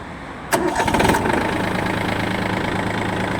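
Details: Yanmar F180 three-cylinder 18 hp 4WD diesel mini tractor, 122 engine hours, cold start: short crank, catches first try and settles straight into an even, steady idle, no misses; starts without problems.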